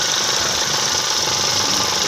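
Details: Quick, tinny, evenly paced tapping knock over the idle from inside the engine, with low oil pressure.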